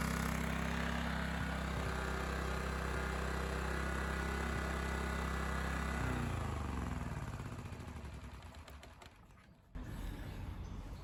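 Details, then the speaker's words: Honda EX1000 1kW petrol suitcase generator, side covers removed, running after simply adding fuel despite being reported not working; steady even hum for about six seconds, then winds down and stops; normal running. "that's a success so what did i do i put fuel in it and it went and i was told it wasn't working"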